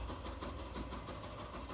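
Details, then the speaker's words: 2018 Yamaha Factor 150 single-cylinder motorcycle at idle: light loose rattle from the clutch basket (campana) knocking. "Isso aqui é as rodas só da campana de embreagem, a campana batendo."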